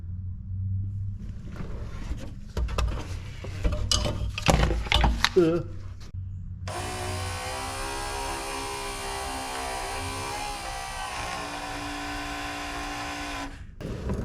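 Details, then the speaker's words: 1978 Toyota Land Cruiser with fresh 350 V8, newly wired electric fuel pump before retesting carb fuel pressure: after some clatter a constant buzzing whine holds about seven seconds, far louder than the previous Holley pump. "thing is loud way louder than that Holly pump"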